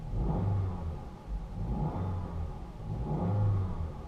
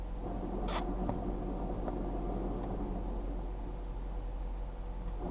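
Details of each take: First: Low-mileage 2010 Jeep Patriot, 5-speed manual, collapsed clutch release bearing rattles with clutch up; here clutch held down, engine blipped three times, smooth and clean with no rattle, sounds fine. Needs a clutch kit. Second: 2010 Jeep Patriot, low mileage, 5-speed manual, at idle: low rough rumble appears as the clutch pedal is raised and goes away with the pedal held down; collapsed clutch release bearing in the gearbox, needs a clutch kit.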